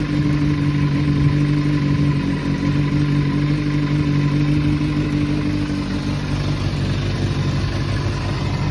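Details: Kawasaki ZRX400 (ZR400E) four-cylinder start-up check: smooth, even low hum holding steady at idle with no ticks, knocks or rattles and no white smoke; idles cleanly and sounds healthy.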